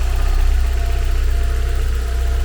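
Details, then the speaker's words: 1990 Porsche 944 S2 Cabriolet, 3.0L naturally aspirated four-cylinder, microphone in different parts of the engine bay: deep, even idle with a steady low pulse, no knocks, ticks or bearing whine. Normal idle. "So you can see the microphone in different parts of the engine. No bearing wind of any kind, just a nice smooth running engine."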